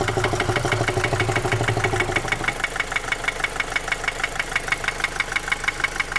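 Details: 2010 Opel Astra J 1.7 CDTI 125 HP diesel at idle: sharp, even knock about three a second, slightly quieter warm; began after clogged oil pickup; bearings fine, injectors replaced without help; cause unknown.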